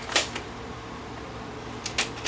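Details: Panasonic PV-V4522 VCR: a few crisp clicks and short whirs as the mechanism takes a tape and lifts the lid. Normal cassette loading with a tape that works, unlike the ones it rejects.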